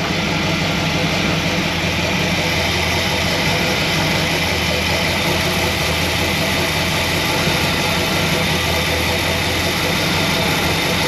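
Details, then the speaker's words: Squarebody Chevy C20 V8 with a new Edelbrock 1906 carburetor idles with a low rumble under a loud, steady airy hiss: a big vacuum leak from an open carb port that needs a plug before tuning. "so that's definitely a big vacuum leak so i'm gonna have to do like i did on one of my other abs two carburetors and find a plug for that"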